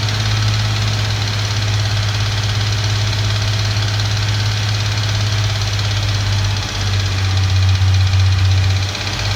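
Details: Infiniti Q50 petrol engine: loose metallic tapping or clanking over a deep hum, driving or revving in neutral, rising with engine rpm (about 1500-4500 rpm), not speed dependent; cause unknown.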